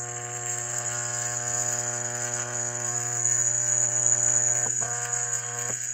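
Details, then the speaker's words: Hydrolevel VXT programmable steam boiler water feeder, set to one gallon per cycle after a 30-second delay: coil energized, steady low electrical hum with faint high whine as the solenoid valve opens; normal. "it's going to energize the coil you can hear the foil buzzing away and presumably if you've got this thing plumbed properly water is going to flow through the solenoid valve and into the boiler"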